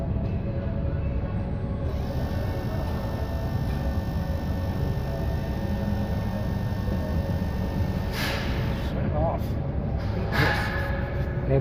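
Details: 2024 Toyota RAV4 electronic mag-drive coolant water pump, 200,280 miles, activated for diagnosis: steady low hum with a faint, unchanging whining tone; pump judged broken and later replaced.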